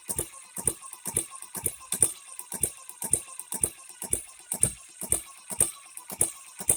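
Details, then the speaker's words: First run of a newly built HM-01 hit-and-miss engine kit, oiler on: runs, but the timing gears clack sharply about twice a second, far too loud; not yet broken in or worn in. "it does run but those gears good Lord we shouldn't hear them that bad"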